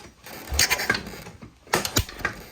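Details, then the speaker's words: Spark plug removed, finger over plug hole while cranking a four-wheeler: two bursts of sharp air puffs hissing past the finger, thumb pulled in then blown off, showing good compression. "That's how you know you got good compression. Yeah, you'll feel your what it's describing is you'll feel your thumb get pulled into the threads a little bit and then get blown back off."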